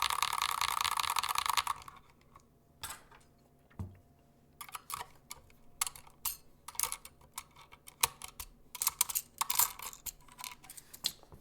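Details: Glorious Panda tactile keyboard switches, completely stock and unlubed: uneven bursts of sharp typing clacks, each with a thin springy ping; spring and leaf noise audible, not a bad tone.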